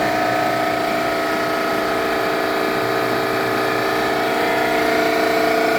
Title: Eastwood QST-30/60 Scroll Compressor possible bad bearing.